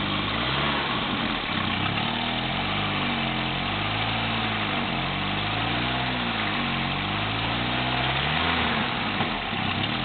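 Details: Volvo 945 Ti petrol engine idling: rapid, rhythmic ticking puff riding on the exhaust note, from an exhaust leak.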